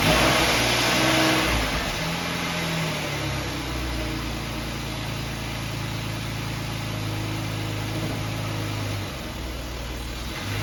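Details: 2011 Jeep Wrangler 3.8 V6 with P0301-P0306 misfire codes, after replacing a faulty high-mileage spark plug: quick rev settles into a steady, even idle with no stumble or skipping beat; smooth and healthy.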